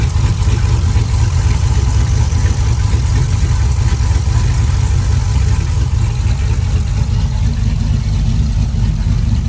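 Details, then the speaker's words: Cammed V8 (HPT cam) just fitted with BES Racing heads milled 0.020 in, headers, intake not yet on; loud, deep, choppy lopey idle near two pulses per second, no knocks or ticks; normal idle. "Having the heads milled 20 thousandths, but she sounds good. Running really smooth."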